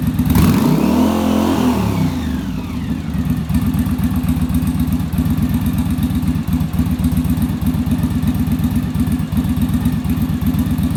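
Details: Yamaha Virago V-twin during final on-engine carb sync with a manometer after a bench sync: even, steady lope at idle around four beats a second with no stumbling or hunting; carbs balanced and smooth.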